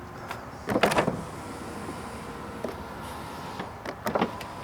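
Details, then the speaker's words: 2010 Mazda CX-7 power window motor after replacing stripped gear with 3D-printed one; short even motor whir down and up, clean stop, no grinding or binding; fixed. "Okay, so works down, works up, and it stops. So we're good to go."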